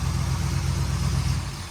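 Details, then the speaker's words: 1962 Corvette after the hard-start fix of correctly adjusted distributor points; starts right up, even deep idle with a smooth low pulse, no stumbles or misfires. "So like I said, she's doing good, starting right up. It's a real good car."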